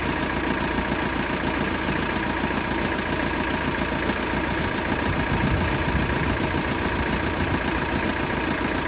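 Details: Engine at a steady idle with a faint, loosely regular knock of about two per second riding over the drone; the cause of the knocking is unclear.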